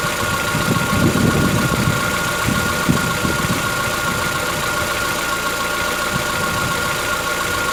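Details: Chevrolet Onix 1.4 petrol, 2014-15, cold idle: uneven light ticking and clatter over the engine hum, with a steady high whistle, on a windy day. Lasts about 10 minutes from cold. Owner suspects a tappet or internal knock, not injectors; dealers call it normal.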